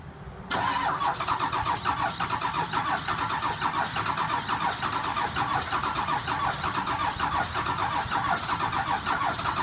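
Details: 2002 Ford F-350 7.3L diesel with bad injectors, cold start after sitting about a week. A brief crank, then it catches and settles into a loud, rough, uneven diesel clatter: rough running after a hard cold start.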